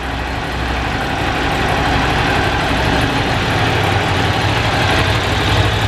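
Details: Ducati 750 SS Super Sport, 750cc air and oil cooled V-twin, about 65 hp, three owners, freshly serviced with new plugs, filters and cam belts: lumpy V-twin idle with throttle blips, steady and strong; normal revving and idle.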